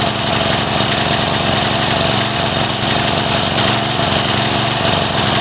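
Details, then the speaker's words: Craftsman 3.5 hp edger/trimmer that fires then stops, revved up: buzzy, hunting note that never settles smooth, no sweet spot; rough running from partly blocked carburetor jet, fixed by carb cleaning. "We can't really find that sweet spot, so that tells me it's probably blocked up a little."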